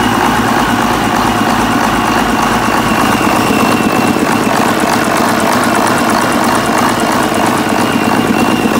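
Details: Cummins 6TA-830 diesel engine, start after repair; steady even idle with constant low rumble and no knocks, misses or irregular beats, healthy.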